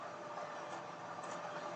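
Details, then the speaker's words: Laptop cooler built from an old PC fan, running under the laptop: constant airy rush with a thin steady whine, no ticking or rubbing, very noisy but healthy; laptop temperatures drop below 40, most cores. "I think you can hear the noise about how the fan is screaming right now. It is very, very noisy."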